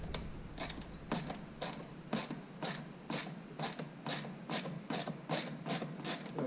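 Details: Hyundai i40 steering column: sharp, regular clicks about twice a second as the wheel is turned back and forth. Suspected failed plastic bushing inside the column motor.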